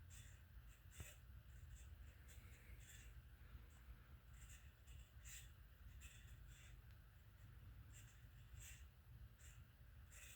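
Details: Harbor Breeze Marco Island 52-inch hugger-mounted ceiling fan, made August 1996, hums low while high, chirpy squeaks recur about twice a second from bad bearings.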